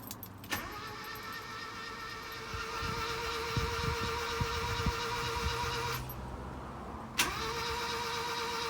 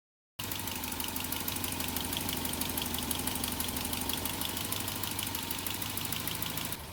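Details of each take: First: 1986 Ford Courier with refurbished engine (previously over 1.3 million km, leaking) just installed, spark plugs out to circulate fluids: two bursts of fast, even cranking with steady starter whine, no knocks; healthy spin. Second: 1986 Ford Courier petrol engine, refurbished motor (over 1.3 million km) just installed, first run at idle: quiet, even idle with light quick ticking about three a second from one noisy valve on that side.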